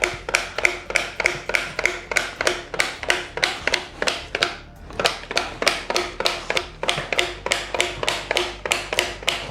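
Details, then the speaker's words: Hand-cranked tomato mill processing raw tomatoes cut in quarters: quick, fairly even clicking about three per second as pulp and seeds pass through; works normally, passes less easily than cooked tomatoes would. "donc je prends de la tomate voilà je vais venir mettre dedans donc tu vois qu'elle est coupée en quatre voilà donc tu entends que c'est en train de passer"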